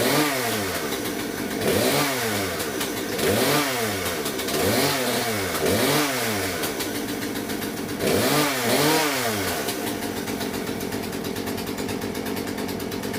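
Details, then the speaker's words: Poulan P3314 chainsaw after carburetor swap; crisp two-stroke buzz revved up and down then steady idle, runs much better than old carb, probably needs slight fine-tuning; normal running. "I started up you can hear it probably needs a little fine-tuning but that runs a way way better than they're trying to Carver that was in there"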